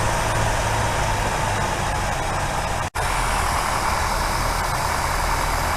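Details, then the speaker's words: 1964 Buick Riviera V8, just started on primed chainsaw gas, before tuning: a low, lumpy idle with an uneven beat and one brief dropout. Rough idle because ignition dwell is about 40 against a spec of 30. "So the dwell on this was about 40, way off, supposed to be 30."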